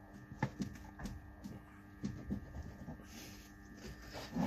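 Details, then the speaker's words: BMW E60 with the tie rod end removed from the knuckle: dull, irregular metallic clunks as the steering rod is pushed and pulled by hand, revealing play in a worn inner tie rod joint before replacement. "teraz żeby sprawdzić jeszcze raz lód sobie to ciągnąć tak do przodu do tyłu słychać jak stuka stuka drążek"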